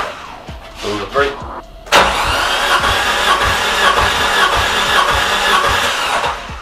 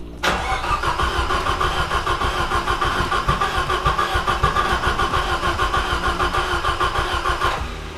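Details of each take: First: Nissan CA18DET in an S13 200SX with a suspected blown head gasket, cranking during an ear compression check: an even chug of about three pulses a second showing good compression on these cylinders. Cylinder 4 seemed to lack compression. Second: Nissan S13 200SX with a CA18DET engine whose head studs were found under-torqued: the starter cranks evenly, about three times a second, for seven seconds and never catches, with water everywhere. Suspected blown head gasket; cranks but won't start.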